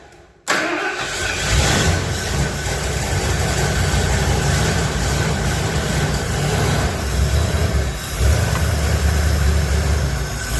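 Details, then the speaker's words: 1977 Ford F250 4x4 barn-find V8 starting after a new fuel pump, on an old used 2100 carburetor with the choke working. It catches after a brief crank and settles into a steady, deep, even idle with no knocks; normal idle. "it sounds pretty good I'm happy with that leave there so now we'll get on Amazon get us a new carburetor and get that a twisted in"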